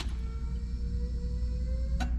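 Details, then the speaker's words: Turbocharged Miata fitted with 1000cc injectors, key-on prime to check the injectors for leaks: a steady low electric hum with a faint whine for about two seconds, then a click; the fuel pump and injectors prime normally. "I'm more concerned to see if the injectors start priming or if the fuel pump Prime so we can shake the injectors for some leaks you ready oh they're priming"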